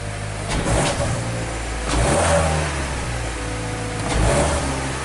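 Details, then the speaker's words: 2014 Hyundai Tucson with delayed acceleration after service (spark plugs changed, injectors cleaned), microphone by the muffler: revving from idle, exhaust stumbles and breaks up in uneven bursts instead of climbing cleanly; misfire under acceleration, no misfire seen on scan. "that it sound like it's breaking up I'm going to try it again so let's go back by the muffler so it definitely sound like it's like it's breaking up you're not getting a free flow you dig"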